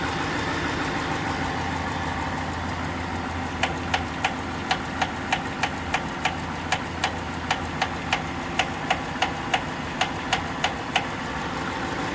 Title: Engine knock